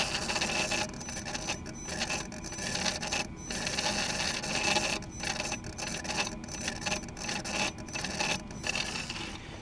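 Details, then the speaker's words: Mercedes G-Wagon, while forcing a transmission adaptation with scan tool not connecting: rough raspy grinding in irregular bursts with no engine running underneath, from the throttle body, horrible noises. "That's the throttle body. It's making horrible noises. That doesn't sound good."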